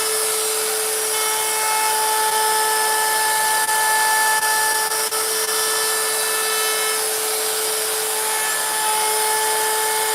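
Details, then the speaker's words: Router cutting a wood sign with a 90-degree bit: a steady high-pitched motor whine holds speed through the wood with no bogging or chatter, cutting cleanly. "The profile bit cuts great, but it doesn't cut like the 90 does, because there's more flute, there's more cutting edge there, and the 90 just flies through this stuff."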